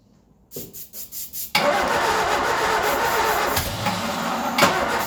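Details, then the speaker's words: Ford Escort revived after 14 years neglected: slow cranking pulses, then on starting spray down the carby it catches into an uneven, hunting idle with occasional pops; rough running, not healthy, definitely not happy. "There we go, she fires up. She's not healthy, but she fires up. I'll consider that a win. I'll consider that a win on my side. But she is definitely not happy."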